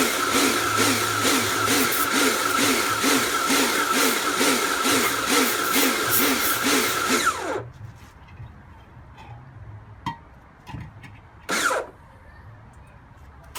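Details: Kärcher pressure washer rebuilt from a B202 and a K2 14 (frost damage, motor failure), first test with water on: loud motor whine pulsing steadily about twice a second while spraying, then cutting off; surging under load, cause unclear.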